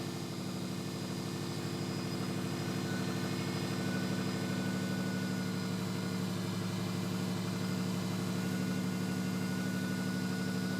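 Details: Subaru STI after repairing an exhaust leak at the external wastegate and up-pipe with new gaskets: smooth steady idle, low even burble, no puffing or ticking from the exhaust; sounds healthy and sealed.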